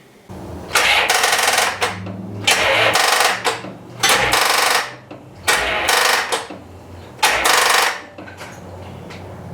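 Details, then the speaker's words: 1990 C4 Corvette, being rebuilt after 5 years apart for a blown head gasket, no radiator fitted yet: four or five short bursts of starter cranking with no catch or firing; cranks but won't start, fuel pump not running. "she does not want to start i might even have to go get a battery"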